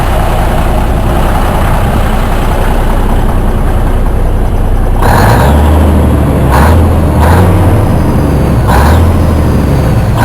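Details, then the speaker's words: 1967 Freightliner cabover diesel, warmed up, after a turbo swap with pulse manifold and a new straight pipe: deep, even rumble with a few sharp throttle snaps that settle back smoothly; healthy idle, sounding better than with the muffler. "Sounds all right. Got a little snap to it. Nothing crazy. Nothing like the VI or nothing. Sounds Sounds a lot better than it did with the muffler, though."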